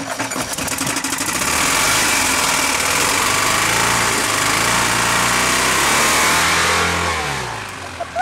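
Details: Toyota 22R four-cylinder after a mud event, restarted after throwing a rod out the side of the block; harsh heavy hammering every turn under a ragged roar, sparks flying off the crankshaft — rod knock, connecting rod let go.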